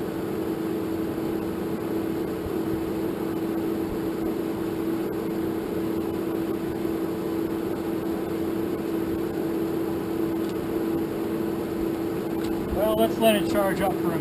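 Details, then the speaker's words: 1947 Farmall M tractor, first start after engine rebuild, fuel initially left off: starter turns the engine slowly, about four even labored turns a second, never catching; owner suspects a bad battery. "well guys I don't think that battery was any good because I could not get that thing to spin over any faster than it was"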